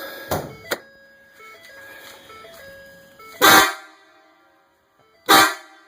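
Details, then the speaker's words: 2015 Ford truck, aftermarket air horn fed by a compressor wired to a factory upfitter switch wire: two short, very loud deep blasts starting and stopping cleanly; normal air horn. "that's what it sounds like. It's pretty loud. Anyway, it's really loud."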